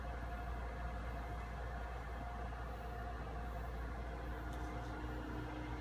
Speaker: again you you'll hear a buzzing in your head that's normal you know it's working for some people doesn't bother them at all